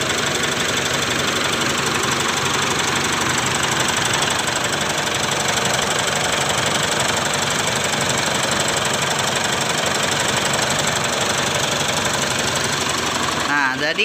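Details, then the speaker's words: 2008 Mitsubishi Strada Triton Exceed automatic diesel idling: fast, fairly regular light tik-tik ticking heard right side near battery, lower down; mechanic suspects the common-rail fuel supply pump, not confirmed. "Nah ada suara itu berasal dari salah satu komponen comment real yaitu supply pump nya teman-teman"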